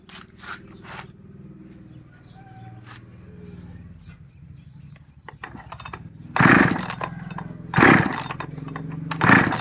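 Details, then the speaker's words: Model 5200 chainsaw that is hard to start: idles rough and uneven, then three sharp loud revs about every 1.5 seconds; runs abnormally loud, cause not yet found. "พาลองเครื่องนะครับเครื่องนี้ติดได้ครับแต่ดังครับลองฟังเสียงนะครับแล้วก็จะมาหาวิธีแก้ไขต่อไปนะครับ"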